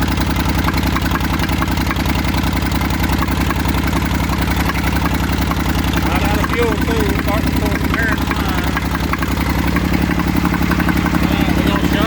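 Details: Massey Ferguson 35 three-cylinder diesel, seized 20+ years in the woods, tow-started in third gear high after the starter failed; it fired after about 300 yards of building compression and heat. Steady, even clatter at fast idle, no misses or knocks: normal running.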